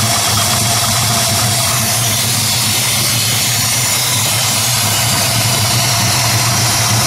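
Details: 1968 Ford Mustang Shelby GT350 restomod V8, 550 hp on dyno, polished stainless exhaust, heard from rear: loud even idle with steady lumpy rumble, no tapping or misfire; healthy running.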